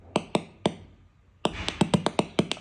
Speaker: this problem ER we found in the two units we don't know why sometimes are are clicking are noising the the the speaker we don't know why and the